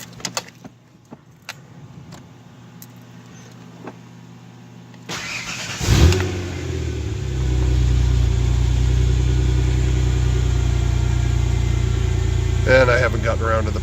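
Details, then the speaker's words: Ford Bronco II after 4.0 six-cylinder engine swap, homemade exhaust with small Flowmaster mufflers; cranks, catches quickly and settles into a deep, even idle with steady exhaust note, no knocks or misses; normal start and idle. "I'm gonna go ahead and fire her up let you hear it it sounds pretty good the exhaust was made out of a bunch of crap I had in my backyard a little Flowmaster mufflers actually sounds pretty decent for a six-cylinder"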